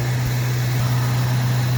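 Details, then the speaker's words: Ford Galaxie 500 with original 260 V8 and 2-speed automatic, warmed up a little, carburetor still needing adjustment. Deep, steady low hum with an even beat and no knocks or misses: normal idle. "All right. So we're back. And this is where we're at. The motor is running great."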